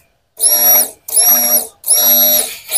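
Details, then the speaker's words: Toyota Vios that stalled and wouldn't start: replacement fuel pump bench-tested on direct positive/negative wires before fitting, three bursts of high steady electric whine spinning up and down; pump works normally, old fuel pump was faulty. "hidup untuk full pumpnya, tandanya permasalahannya sudah selesai ya."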